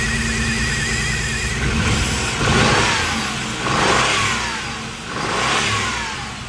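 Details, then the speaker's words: 1990 Pontiac 6000 SE AWD sat 20+ years, first running: revved three times, idle uneven and missing between blips, rubbing muffler adds harmonic; runs rough from vacuum leak, lower intake gaskets left off. "All right, it's running. It's got a little bit of a miss to it, but it's been sitting forever."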